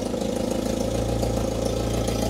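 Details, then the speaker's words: UAZ 452 Bukhanka engine at idle after oil change and compression test (compression somewhat low), oil pressure same as before, about two to three bar cold idle earlier; steady even low rumble, no surging or knocking; normal idle. "there we go that's the same oil pressure as before that's nice"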